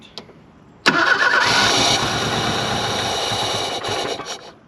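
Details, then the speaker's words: 1983 Ford Thunderbird Turbo Coupe, 2.3 L turbo, 5-speed, first start after 20 years with a little fresh gas and no fuel pump heard. It catches abruptly on starting spray, runs rough about three seconds, then dies from fuel starvation; owner suspects a dead fuel pump. "she wants to go well she's not getting no fuel the intake is facing the wrong way to feed it"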